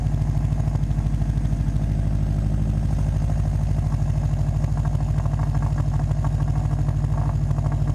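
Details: Subaru WRX at idle before fitting the downpipe-to-cat-back flange adapter: fast, even puffing chuff about three pulses a second over a deep exhaust rumble, from an exhaust leak at the downpipe flange.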